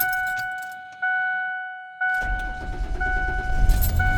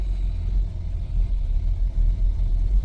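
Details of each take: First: 28-year-old vehicle that sat five years, cold rainy-morning start after replacing the IAC, old spark plugs still in: two beeps, quick catch, high idle on its own without stumbling; much better than the usual rough start, some misfires blamed on plugs. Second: 28-year-old six-cylinder vehicle that sat in a field 5 years, cold start on a rainy morning after an IAC replacement: lumpy idle with irregular dips and stumbles; owner suspects old spark plugs of over 50,000 miles cause the misfires; start much improved.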